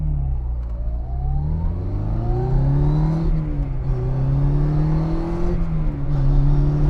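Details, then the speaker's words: 1963 Austin Mini Cooper with a straight-cut 3-synchro 4-speed, accelerating hard uphill after a downshift: a clear whine climbs in pitch, dipping at each lift, with rpm barely dropping; normal straight-cut gear sound. "Did you hear that RPM barely drop? Still has that straight cut sound."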